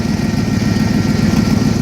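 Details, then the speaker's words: 1990 Ford F250 V8: steady low idle with a slightly uneven, lumpy pulse underneath; rough idle, cause unclear. "I'm not sure if you can see that in the camera, but it does run a little rough."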